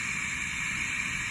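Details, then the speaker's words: Two-pipe steam radiator with partial heat, valve controller at the radiator: steady high airy hiss over faint low rumble as the vacuum pump sucks through the controller; occurs only under vacuum, not in normal steam operation, nothing to worry about. "such as a vacuum is sucking through the controller to here and you can see it's operating quite well it doesn't do that doesn't make that noise a normal steam operation only with vacuum so don't worry about that"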